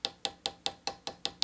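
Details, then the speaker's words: Hammer-veneered drawer front with crotch mahogany veneer, about half an hour after hammering, microphone very close: tap test gives crisp bright taps, some duller and hollower where veneer has not bonded. "you can also do a tap test and you'll hear that difference quite dramatic right in here"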